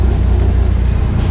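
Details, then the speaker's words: Rear end after new ring and pinion, fixing previous whine, driving about 45–46 mph: steady low road and driveline rumble with no clear gear whine, only occasional slight noise; differential quiet and healthy. "typically it would be really bad at this speed so so far so good got like a little bit of noise coming from back there but not too often"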